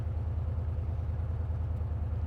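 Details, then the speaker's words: Engine running smoothly under way with a steady even hum, no misses or knocks, after the spark plug, probably the cause, was fixed; as smooth as remembered, ending the backfiring. "I'm just saying pretty much as smooth as I remember it at this point what do you think yeah game seems seems fine to me"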